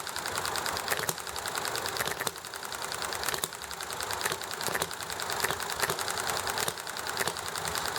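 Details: Enjomor hit-and-miss engine running nicely, with highway traffic and chatting in the background: crisp single firing pops about once a second, quiet coasting between, steady rhythm over background hiss; normal hit-and-miss running.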